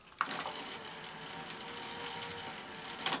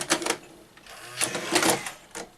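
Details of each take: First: Sanyo VTC-MH5 Japanese NTSC Beta Hi-fi VCR after power supply repair, lacing a tape: soft even whirring with light clicks at start and finish; motors now at sensible speed, normal lacing. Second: Sanyo VTC-MH5 NTSC Beta Hi-fi VCR before power supply repair: short, hurried whirring bursts as the cassette loads and laces. Loading motor runs too fast; owner suspects an overly high supply voltage line.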